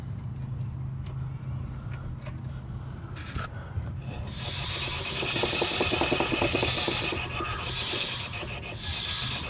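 A rasping scrape returns about once a second as the spinning tire's high spot hits the cutter.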